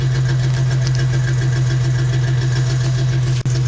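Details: Ford Mustang idling with an uneven, stumbling pulse and one sharp drop in the beat; random misfire code P0300 caused by a loose intake manifold vacuum hose, while code P0171 remains, suspected clogged fuel filter or fuel pump.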